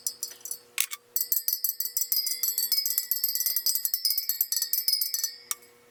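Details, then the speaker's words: Sur Ron Light Bee supermoto front wheel build, final round after tightening a dead-sounding spoke: quick run of clear bright metallic pings, none dull, even spoke tension before checking the true. "okay that sounds good to me all right so i'm gonna go check the true out"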